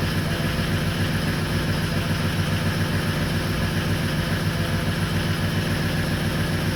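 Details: 2004 Ford 6.0L Powerstroke diesel, started with ICP sensor unplugged, pressure stuck around 1400–1500 psi: loud diesel idle with a slightly uneven low chug, about three and a half beats a second; rough idle from excessive injection pressure at idle.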